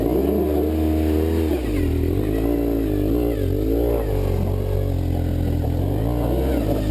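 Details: BMW 1150GS boxer climbing a steep greasy uphill trail off-road: revs rising and surging while road speed barely changes, some smoke seen; slipping clutch under hard load suspected, not confirmed.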